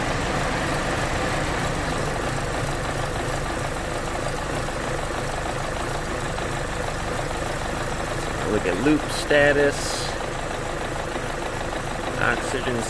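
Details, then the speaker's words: 2011 Chevy Cruze 1.8L at idle, hunting up and down in an uneven lope; fuel trims maxed (long 33%, short 36%), multiple codes, with coolant from a melted thermostat heater found in the wiring harness. "here i got it fired up and it's loping pretty good here right at an idle"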